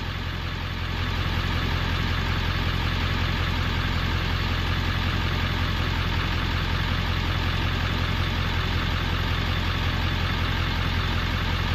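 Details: 1994–97 Ford 7.3L Powerstroke after an electric fuel pump conversion, started on one crank: a steady, even diesel idle with a smooth low rumble and no knocks or misses, fuel pressure building past 45 psi.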